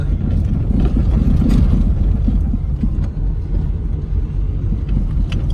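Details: Daewoo Lanos on cobblestones: low road rumble with uneven dull knocks that stop when braking; suspension knock from worn lower control arm rear bushing.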